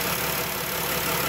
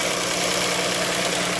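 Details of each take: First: 3.6L Pentastar V6 van at idle after replacing the camshaft to cure rear-bank (bank one) rocker-arm ticking, refilled with 5W-30: smooth, even idle with no valvetrain tick; repair successful. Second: Chrysler 3.6 Pentastar V6 van before repair: bright, fast light tick over a steady idle from the rear head, bank one; a broken roller rocker arm damaged the camshaft, fixed by replacing rocker and camshaft.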